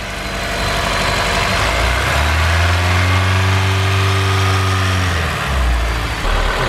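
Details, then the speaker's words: Honda S2000 with low power and engine noise, after fitting the missing lower alternator bolt: engine revs and settles with a light metallic chatter tracking revs; remaining rattle attributed to rattly lifters, with other loose parts found. "The lifters are a little rattly."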